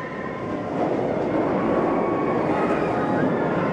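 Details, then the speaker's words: Parc Astérix OzIris roller coaster, train 2 passing: a steady, even rushing whoosh, the usual sound. This is unlike train 3, which sounds duller and more powerful; train 2 runs normally, with no knock or rattle. "2 qui lui par contre fait le bruit habituel le souffle BM"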